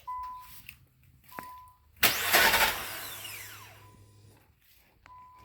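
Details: 2000 Nissan Maxima, 118,000 miles, push-button start, crank sensor and fuel pressure regulator replaced: chime then harsh prolonged cranking fading without catching; hard start, sometimes no start, owner suspects fuel delivery; runs normally once started.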